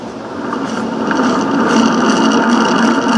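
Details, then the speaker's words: Waterwheel smart drive motor under test on a table, which amplifies the sound: the bearing is not loose but very rough, giving a gritty, rumbling grind and low hum that swell as the motor spins up. "on this table it amplifies it the bearing is not loose but boy is it rough"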